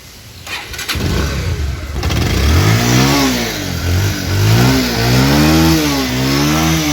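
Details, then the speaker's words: 2019 Bajaj Pulsar 150cc used motorcycle: cranks and catches, then revs rise and fall cleanly through several blips with no rattle. The engine sounds smooth, like new. Normal start and rev. "গাড়িটির engine sound শুনলেন আপনারা। গাড়ির engine sound এখনও smooth, নতুনের মতোই।"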